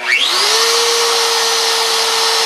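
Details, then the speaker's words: Fresh router running freehand sign carving: quick spin-up whine settling to a steady even tone, no rattle, much quieter than before with bad bearings that chattered and drifted; normal running. "lot quieter yeah lot quieter yeah"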